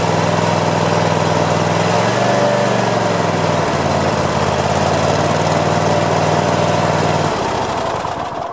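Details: Craftsman zero-turn mower with a hard-connecting plastic key switch, test run after repair: engine fires up and holds a steady, even drone, pitch rising briefly with throttle before shutdown; running properly.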